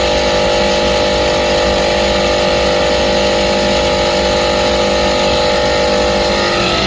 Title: Compresser foulty abnormal sound #hvac #youtubeshorts #hardwork #actechnician #acrepair